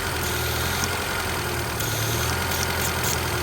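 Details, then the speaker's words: Honda CRX petrol engine with idle surge, running the incorrect PCV valve: it idles fast at about 1300 rpm under a loud steady sucking vacuum hiss; a known-good PCV valve is quieter and lowers the rpm. "the vacuum difference. Pretty loud. Sounds like it's pulling a lot of vacuum up the 1300."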